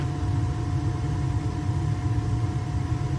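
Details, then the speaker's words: Burnham boiler at startup after replacing wrong-model gas valve, during combustion test with analyzer in chimney: steady even low roar, no puffing or rumble, low fire then increasing, good draft; burner firing normally, running better. "On the startup. You can hear that it's running better. Low fires and increases."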